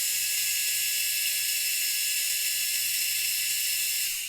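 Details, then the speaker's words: WLToys K969 1/28 RC car after cleaning brushed motor, excess bearing oil on contacts blamed, diff a little tight: clean steady high-pitched whir then quick spin-down, much less sparking and smoking; normal running after repair. "a lot less sparking and smoking I think it was just super dirty and a little bit too much oil on the bearings got into the contact"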